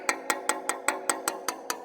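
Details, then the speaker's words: Tap test along a Robinson R44 main rotor blade: steady coin-like taps about five a second, most crisp and high-pitched, some dull and thud-like over a suspected internal delamination void still to be mapped. "and there it's a little bit dull that's nice and crisp nice and crisp dull very dull sounding so if I go over it again right there it sounds very dull and crisp"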